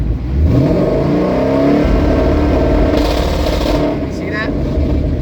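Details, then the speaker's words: Coyote V8 Mustang with an MSD two-step at about 4,500 rpm: starts at under an eighth throttle, then more gas is added; revs hang with choppy popping cuts that slap harder as throttle increases, the two-step rev limiter engaged normally. "can actually hear it slapping a lot harder once you press down. So if you leave, with at the light with a two-step, you don't have to floor it."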